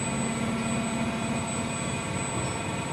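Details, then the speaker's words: Plastic injection molding machine running white ABS ring molds: steady hydraulic hum with a faint high whine and soft pulsing as both injection units refill; an occasional squeak on the second unit is considered normal. "so we're loading up or refilling the injection units sometimes there's a squeak on the second one but I hear that with other molding machines too like the 90 ton squeaks sometimes when it's agreeing plastic in"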